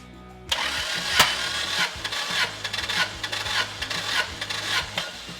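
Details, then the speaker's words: 1988 Toyota pickup with swapped turbocharged 2RZ from a 99 Tacoma, after drag strip damage, cranked via starter circuit for compression test: steady cranking with even pulses; cylinder one 145, cylinder two 135, four 130, suspect cylinder three 115. "145 that's a really good number cylinder number two 135 also a really good number"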